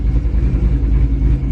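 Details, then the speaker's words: Heavily modified Ford Mustang BOSS 302 V8 with aggressive cams, on first drive after rebuild: deep, loping idle with slight rev dips and whole-car shaking; normal lumpy cam idle. "Słyszycie to moi drodzy? To jest tak zwany trucky idol, czyli na wolnych obrotach ten samochód schodzi troszeczkę obrotami w dół, ma mniejsze i chodzi tak jakby taki klasyczny amerykański, klasyczna amerykańska V8, która ma agresywne wałki"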